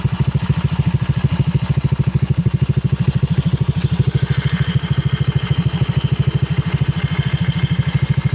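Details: Motorcycle fitted with a TRC Racing power pipe, plug and play with no ECU reset or remap: steady, even low exhaust burble around 200 pulses a minute, no ticks or knocks; healthy idle through the louder aftermarket pipe.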